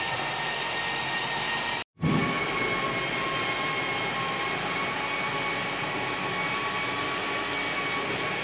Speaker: so yeah that word noise is an electric as an electric version of the thing that i was poking the jobbies with